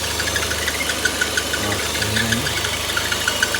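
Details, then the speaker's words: Citroën C4 Lounge at idle: a thin hissing, chirpy whistle like a slipping belt, first thought to be the gearbox. The vacuum membrane in the valve cover near the oil cap is torn and leaking air; the fix is replacing the valve cover. "Então essa tampa aqui vai uma membrana que trabalha com vaco e ela furou essa membrana aí faz esse barulho aí ó como se fosse Correia"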